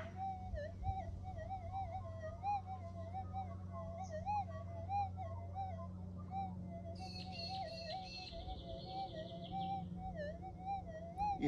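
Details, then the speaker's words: Minelab GPZ 7000 metal detector tested in a suburban backyard near power lines and household appliances, big coil swings: a wavering, warbling whistle that swells and fades with a brief chirp. Electromagnetic interference swamping the detector. "anyway the noise is just too great I really should not be doing this in Suburbia you can hear the noise"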